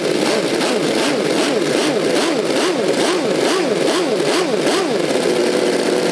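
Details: V8 model engine with rotary valve, with new 3D-printed aluminium exhaust manifolds and a manual servo-dummy throttle with an idle return spring: fast, even buzz whose pitch follows the throttle, no misses or stumbles; runs great.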